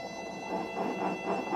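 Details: RMS Roller-Grinder 6x6/MicroMill brew mill being zeroed and paralleled: a low, uneven rumble swells and fades as the adjustment bolt brings the rolls in, showing the rolls are just touching on that side.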